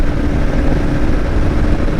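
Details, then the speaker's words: Kawasaki KLR650 Gen 2 single held at about 3500–3700 rpm with the SW Motech skid plate removed; steady drone with no metallic buzz, confirming the earlier buzz was skid plate vibration, not the engine. "so far i just took it out to the driveway and put it up to the uh the rpm that we noticed the buzzing at so around 3 700 to uh or 3500 to 3700 rpm and i didn't notice the buzzing again"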